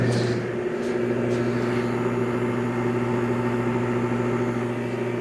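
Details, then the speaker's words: 1966 Admiral Royal 106 air conditioner, restored, low on refrigerant (evaporator only partly cold): steady low hum with a constant mid tone; fan motor humming, cause not pinned down. "I just don't get the humming stop such a quiet running machine isn't one for that"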